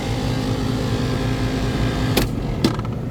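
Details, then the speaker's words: AC in desert, compressor with signs of heavy flooding back, three-phase 60 Hz supply; coarse gritty labouring hum drawing 58 A with two sharp clicks; compressor dead, sounds like dirt. "Yeah, this guy's dead. Bad compressor. Running at 58 amps."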